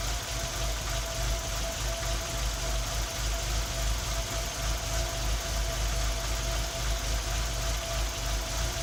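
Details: Tino engine misfiring at idle: uneven, lumpy idle with irregular stumbles breaking the beat of the low engine rumble.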